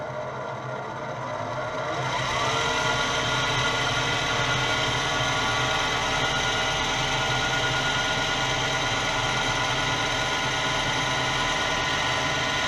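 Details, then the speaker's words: Old lathe running a gear-cutting demonstration at 1310 rpm (rated up to 2100 rpm, held lower out of caution): once spun up, a steady, even whir with no knocks or grinding; normal running at high speed. "ce tour peut aller jusqu'à 2100 tours mais déjà là 1300 sans que sans que ça fait du bruit tout ça j'ai pas voulu mettre plus haut parce que parce que je sais pas c'est un vieux tour"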